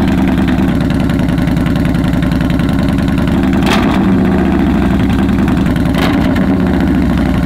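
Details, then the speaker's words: 2015 Yamaha Bolt R-Spec V-twin after Vance & Hines exhaust baffles were installed on an exhaust that had been running baffle-free; low even thump at a steady, clean, settled idle, no longer the earlier lumpy blubbering. "Sounds better. Sounds like it's idling a lot cleaner."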